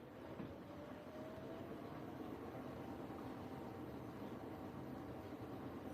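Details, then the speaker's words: Washing machine with jet and iDos on a Cottons 60 program, chef uniform load: quiet steady drum rumble with a faint motor tone climbing as the jet comes on and the spin wash begins; normal. "And the jet's on now, I think. Yeah, the jet's coming on. Here we go. Spin wash time."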